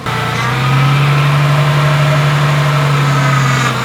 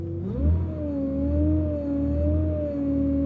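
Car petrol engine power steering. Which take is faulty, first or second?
second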